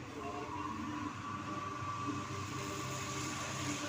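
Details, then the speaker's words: Dryer machine that had been turning slowly, suspected jammed mechanical seal, after repair: a steady, even hum with a faint high whine and no knocks or speed dips, before the original 10 µF capacitor is refitted. Normal running, with speed restored. "یہاں پر اپ دیکھ سکتے ہیں کہ اس کی ورکنگ جو ہے بڑی سموتھلی اب پراپر ہو گئی ہے اور یہ اس کی جو رننگ سپیڈ ہے وہ بڑھ گئی ہے"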